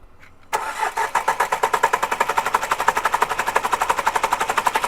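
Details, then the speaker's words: Renault Duster 4x4, 110 hp engine, smoking, sooty, on its fourth turbo: hot engine cranks steadily with even compression pulses, about three a second, and never fires; it starts only when cold or by push-start. "गाड़ी start नहीं हो रही है, देखो, ठीक है? बस, देखिए हम इसे कितनी देर तक घुमाते रहते हैं।"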